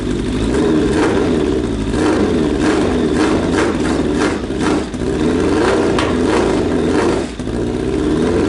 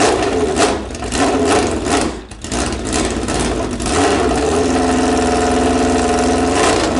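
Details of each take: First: Suzuki Bandit 1200 after fitting a cheap eBay exhaust: four-cylinder blips and revs cleanly, pitch following throttle, note even and slightly muffled, a little quieter than before; normal exhaust note. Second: Suzuki Bandit 1200 running with no muffler fitted, carbs still needing work: loud, raw bark on start-up and blips, with a sharp crackle rising with revs; open exhaust.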